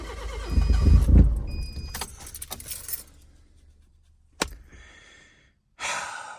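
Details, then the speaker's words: Kia cranking but not starting, before the new camshaft and crankshaft position sensors are installed: brief steady starter churn at about four turns a second with no catch, then keys rattle; owner suspects the cam and crank sensors. "Um, I got the cam shaft and crankshaft position sensor. Hopefully, this would help a lot. Maybe this is probably just the reason why it's not starting."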